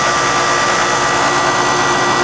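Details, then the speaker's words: Older York heat pump condenser fan motor drawing 0.8 amps, matching the data plate, about 72°F outside: steady even air rush and constant mid-pitched hum, no grinding or squeal; no excessive bearing friction, condenser fan running normally. "We know that the fan bearings are not going out. There's not a lot of excessive friction in there drawing higher amps, so that's good."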